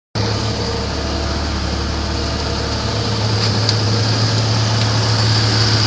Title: стучит двигатель на гранде , 4 литра 1994 год, видео 2